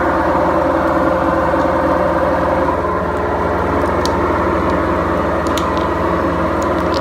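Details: BEKO washing machine, 7 years 8 months old, with bad bearings: loud, steady rumbling roar with a throbbing beat, roughly four per second, as the drum turns, classic worn drum bearings.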